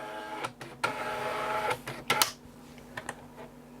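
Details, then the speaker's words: Amstrad DMP3000 dot-matrix printer: short motor whirs and clicks of paper feed and carriage travel, with no rapid pin chatter. The owner suspects a print head fault; the printout is later extremely faint. "so I can hear paper being fed that way I can hear the pr going that way I can't hear any pins firing in the print head it's too quiet so I think there's probably a problem with the print"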